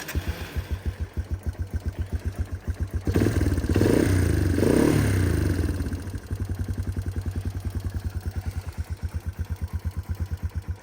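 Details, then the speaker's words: 1989 Yamaha Moto4 200 ATV, sat 15-20 years, started still cold: single-cylinder thumping about three and a half beats a second, brief blip, then back to an even idle; normal cold idle. "still a little cold we'll let it warm up a little bit"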